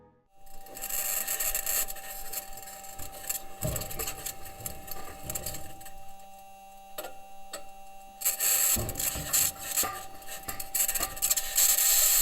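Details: Perseverance Mars rover during its first drive (March 4th), metal wheels rolling over rocks: irregular bangs, pings and rattles over a steady high-pitched scratching noise whose source is still unexplained.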